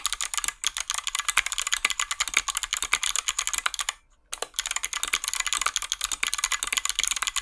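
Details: 61-key 60% hotswap mechanical keyboard with Kailh Box switches and lubed stabilizers: fast typing gives crisp, consistent, loud clacks with no tinny rattle on the long keys.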